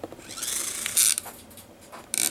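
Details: Compact disc player pickup drive, plastic gears: brief crackling, ratchety bursts as the sled is forced by hand, gears jumping teeth; forcing the sled this way is warned against.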